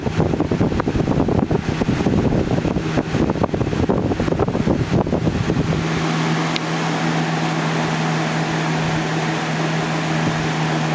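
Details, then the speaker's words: 2000-01 GE box fan model 106620 running on high: steady low hum with heavy air rush that sags in speed, then revs back up; owner unsure whether a bad capacitor is the cause. "the fan slows down a little bit but then it revs up and I don't want to you know say that it's a bad capacitor or anything"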